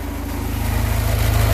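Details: Houseboat Volvo Penta 130 running after tune-up, fuel tank refit with fresh fuel, first-bought distributor cap reinstalled after the other wouldn't fire; some O-rings still need replacing: steady low rhythmic thrum, even firing, no misses; normal running.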